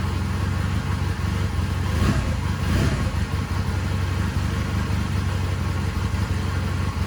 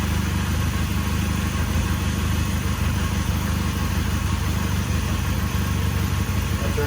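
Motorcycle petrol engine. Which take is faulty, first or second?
second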